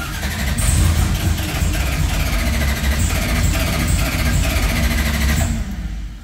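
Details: Engine first start after ignition wires had been plugged into the wrong coils; catches, revs unevenly a few seconds then dies, stalling, possibly fuel-starved, needs another squirt of fuel.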